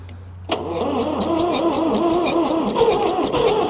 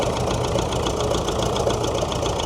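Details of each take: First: David Brown diesel tractor, first start after sitting 10 years, low battery: cranks briefly, catches at once and settles into steady diesel clatter within seconds; healthy start, as if shut off yesterday. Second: David Brown diesel tractor, first start after sitting 10 years, being driven: quick regular light ticking and popping over a rough idle, keeping pace with engine speed; owner suspects tappets need setting with a feeler gauge, unconfirmed.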